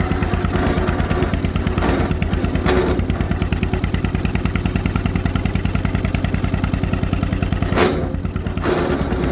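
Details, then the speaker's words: John Deere M tractor idling, which also has a misfiring cylinder 2; brief rough grinding bursts when the clutch is pushed in. The clutch is far out of adjustment, so a clutch grind is suspected but unconfirmed. "take a look take a listen I know you can barely hear me talking here GE off normal push in the push hear grinding"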